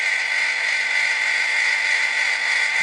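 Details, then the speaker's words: HyGain AR-303 antenna rotor after installation, first test from control box: steady even motor hum with fine high whir, no binding or labouring, clean stop where expected; rotor working normally. "it looks like everything's working it sounds good no binding uh it stopped when it was supposed to"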